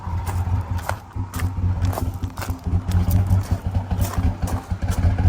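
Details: Harley-Davidson edition Ford F-150 V8, towed in not running, barely starts and won't idle; lumpy, stumbling low rumble with uneven beats, engine shaking badly from severe misfire. Owner plans to replace all eight coil packs and spark plugs first.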